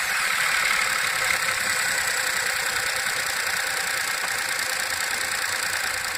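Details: VW Up! MPI, 5000 km, cold start after repair of oil leak on intake camshaft phase variator: bright, busy ticking chatter about three per second over a steady hum, no deep knock; source unclear.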